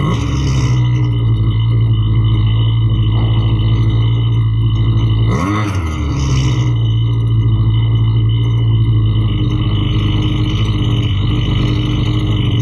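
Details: Husqvarna 329L string trimmer after repair for bogging and not staying running (not the carb): steady, even two-stroke drone with one quick throttle blip midway, holds speed cleanly without bogging; runs properly.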